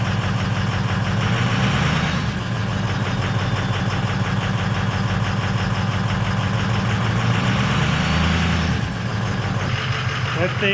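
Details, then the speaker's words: 2006 Ford F350 with 6.0 L Power Stroke diesel, first cold start, check engine light on: loud clattering idle with a hard uneven knock about three a second; rough cold start, two glow plugs are out. "all right sir she's a big loud beast there is a check engine light on it I said there's two glow plugs that are out"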